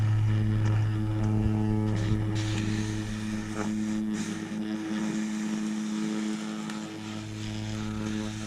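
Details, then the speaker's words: Atwater Kent Model 545 radio speaker on a 100 Hz test tone: steady low hum with a buzzy, scratchy rattle; the voice coil is rubbing, with debris inside and a loose spider. "um like we got a rallying speaker hear that [Music] something in there rallying he'd pull that out and have a look at that speaker but at least it makes noise"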